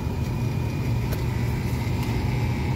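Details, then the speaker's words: Tesla Model 3 salvage rebuild with a bent subframe, started after a 12V jump. A low droning rumble under steady whining tones with an occasional tick: the cooling fan is making a new, bad-sounding noise. "oh this guy's making noise now that's new that sounded bad okay hey we've got got a fan makes a bad sound"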